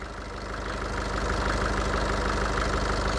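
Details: Nissan Urvan E25 ZD30 diesel with VP44 fuel pump; even clatter about three beats a second, steady, no misses or surging. Healthy idle.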